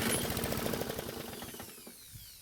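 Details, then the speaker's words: Toro mower, reportedly ran but smoked; carb and emulsion tube found clear. With gas poured directly into the engine, the small single fires, pops rapidly for about a second, then slows and stalls. "i know the last thing it needed was more gasoline in the engine but i needed to hear it run which it did very briefly"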